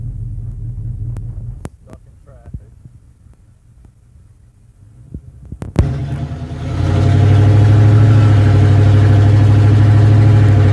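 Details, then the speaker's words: Chevy C30 V8, warmed to about 210, accelerating on highway from about 35 toward 65–75: deep steady drone with uneven throb creeping in as it stumbles and loses pull; cause suspected, not confirmed. "right i started to sounds good for a minute but once i start getting real fast getting on it bringing the heat up it just goes way down to [ __ ] i mean it just drops off the face of the earth"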